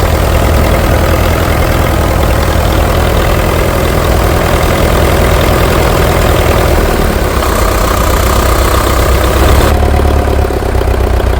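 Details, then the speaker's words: International TD-6 crawler diesel, sitting 11 years, switched from gas start to diesel after the cylinder #4 misfire fix: steady low idle chug with even firing and no knock or miss. Normal diesel idle. "We're going to start this on diesel. From gas to diesel."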